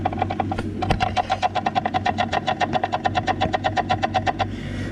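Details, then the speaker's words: Nissan Skyline R34 GT-R with NISMO clutch, transmission removed: input shaft rocked by hand gives quick sharp metallic taps; shaft slightly loose, release bearing and fork fine; suspected worn input shaft bearing. Drivetrain noise appeared when warm, worse when driving. "This sound can be heard from here. This shaft loosen a bit and making this tapping noise. The sound is come here from this part of this transmission. I guess the input shaft bearing, or somewhere around that."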